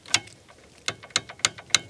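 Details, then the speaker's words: 1969 Kawasaki H1 500 Mach III, sitting 41 years in Florida woods: engine turns freely by hand, not seized, but sharp irregular metallic clacks of something banging on the piston; internal knocking, cause unconfirmed. "you can hear it banging on the piston. This is free, it's not seized up, so that's not good."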